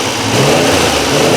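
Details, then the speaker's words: Triumph Trident T160 triple running after a relay mod feeds the Boyer ignition module a full 12 V (previously misfiring, hard starting): catches and revs cleanly with a steady, even exhaust beat; left carb idle circuit still suspect, but idling fine. "this left hand carb here is a little suspect on the idle circuit side but but she's running and she's idling so i'm not too bothered about that"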